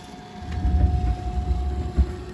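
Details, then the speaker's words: Vintage 1976 Bachmann Norfolk & Western U36B model loco after teardown, clean and relube, pancake motor, on track around 5 volts (quits at four): faint steady hum with soft rumbles, creeping smoothly at crawl speed; normal slow running. "Yeah, that's our crawl speed. And very very entry level."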